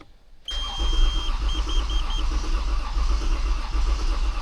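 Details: Toyota Avalon with hard starting, fuel pressure 90 after pump began working and battery replaced/jumpered; steady even cranking but engine never catches, crank no start; water then found mixed in the gasoline.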